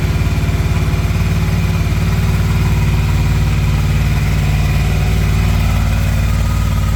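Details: Honda VFR800 cold start after sitting a while: steady, even low thrum with regular firing pulses at a settled cold idle, runs smoothly; normal cold idle.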